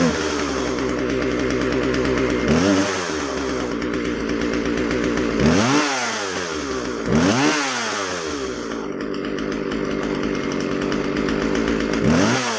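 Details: Husqvarna 136 chainsaw after carb rebuild (rotten fuel line let dirt in), high-speed jet set slightly rich: crisp two-stroke idle rising cleanly to full revs in several blips and dropping back smoothly; normal running.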